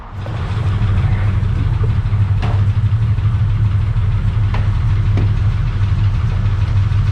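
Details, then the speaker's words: Drift-build car back running after prep work, put in gear with the wheels spinning on stands: a steady, even engine note with a smooth low rumble and no knocks or misses; sounds good. "Alright, so it's back and running. Let's put her in the gear, and hopefully you guys can see the tyre, and we'll see if she moves."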